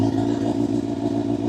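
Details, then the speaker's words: Motorcycle held just above idle with slight throttle preload before clutch engagement: smooth, even purr with a steady note and no misses. Healthy engine, correct preload. "So, right now, we're at idle. If I want to preload, just a little bit of throttle"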